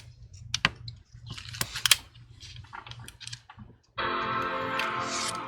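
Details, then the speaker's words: MacBook Pro A2338 M1, powered on with a USB-C adapter: a few handling clicks, then a clean, sustained Apple startup chime; Apple logo appears and it boots normally. "Okay, you can hear that little Apple sound. Hey, there's Apple logo."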